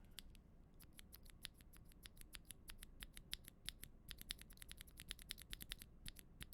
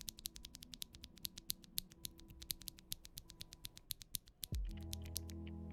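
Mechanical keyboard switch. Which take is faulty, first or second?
first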